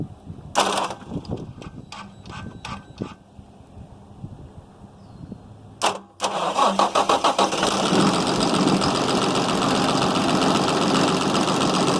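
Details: 6.7 Cummins diesel, high 200,000 miles, after tear-down and repair, started with screwdrivers: clicks, crank, catches at about six seconds, smooth even clatter with no misses; good oil pressure to the top.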